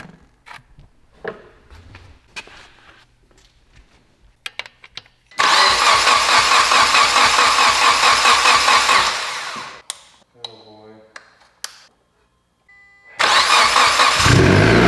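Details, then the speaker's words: Mitsubishi Evo 10 after repair, fresh oil, plug fitted in place of a cam solenoid (code expected), revved: quick crank, catches at once and runs strong and even, shut off and refires cleanly; healthy start with no misfire. "sounds good imagine that it's not all [ __ ] up"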